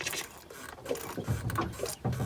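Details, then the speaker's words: Ford Lehman 120 marine diesel, just after offshore replacement of failed fuel lift pump, delivery fitting Teflon-taped: irregular sputtering hiss and spitting bursts as air is pushed out through fuel line; air in fuel line. "Pushing the air out."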